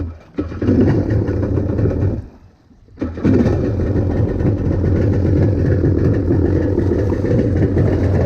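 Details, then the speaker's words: SuperFreak two-stroke watercraft after rebuild, in water, carb tweaked: cranks poorly, dies briefly, then catches into a lumpy uneven beat that won't settle; running worse than before, faulty carburettor suspected. "All right, we've tweaked on the carb some more. Let's see if it's running better cuz it is not running as good as it did the other day."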